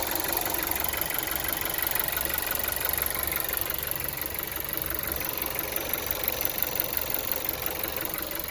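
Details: VW Golf 7 TSI engine: steady idle with a light, regular ticking knock about three per second riding over the engine; engine knock at idle, cause not evident.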